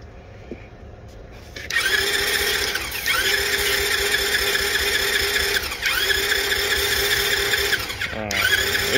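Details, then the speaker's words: $200 marketplace small dirt bike/moped with spark confirmed, plus fuel and compression: starter whirs in three long cranking bursts of several seconds but never catches or pops; no start. "It shouldn't take that much. It should be popping over right now. Yeah. Why is it not popping over?"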